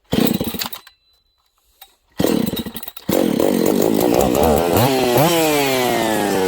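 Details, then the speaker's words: Husqvarna 272/268/266/61-chassis chainsaw after brake cleaner sprayed at crank seal and oil pump seals; short revving bursts, then steady run sagging in pitch. Crankcase air leak at crank seal or oil pump seals. "there you go there's our problem friends okay so that shows you what was going on with this saw"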